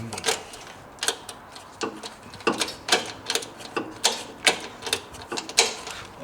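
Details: 1980 Caterpillar TC30 forklift, propane four-cylinder Continental flathead, cold start attempt: sharp dry uneven clicks about every second with no cranking; starter only clicks, owner determined it is not the battery, cause otherwise unconfirmed.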